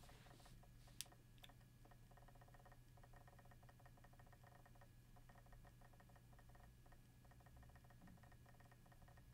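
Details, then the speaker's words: Seagate Exos enterprise hard drive copying files with simultaneous reads and writes: a steady spin hum with many irregular soft ticks, which is normal head seeking. "straight away you must have noticed there that there is a lot more background clicks there in the background during this rewrite operation"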